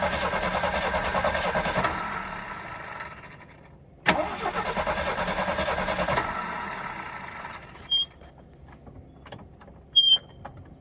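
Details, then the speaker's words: AMC Hornet parked for years, carburetor sprayed with cleaner: starter spins steadily for several seconds, stops, cranks again, never fires; cranks but won't start, owner suspects no spark and no fuel reaching carburetor. "okay all right so we got absolutely nothing I wonder why that is do I have no spark Mimi and I still got no fuel getting up there so"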